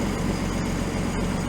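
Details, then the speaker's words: Rebuilt 1949 Chrysler 251 flathead, first run in 18 months with little exhaust: low, even, smooth idle with no tappet or rod noise; healthy engine. "it's amazing how quiet this is never mind the lack of exhaust but there's no tappet noise no Rod noise"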